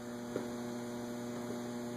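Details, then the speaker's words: Antique Robbins & Myers five-blade ceiling fan with preheat fluorescent light, just installed and oiled with WD penetrating oil, on medium speed via remote: quiet steady low electrical hum, no rubbing, ticking or wobble; motor running smoothly, slinging some oil. "Put it on medium. Spouting oil everywhere. It's a nice slow medium."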